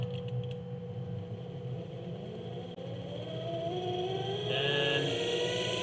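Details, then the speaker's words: Electric minibike motor on a test of its controller code with the acceleration setting very low: the electric whine climbs slowly and steadily in pitch, taking a long time to reach max speed. "it takes a little bit longer to get to max speed it still decelerates and if we set it really low"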